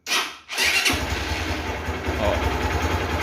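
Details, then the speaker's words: Honda Titan 150 that wouldn't electric-start but would bump-start; poor contact at a connector, and wiggling it restored starting. Short starter whir, then the single cylinder catches and settles into a steady, even idle; normal electric start. "a moto funcionou deixa eu mexer aqui para ver se ela vai parar de funcionar"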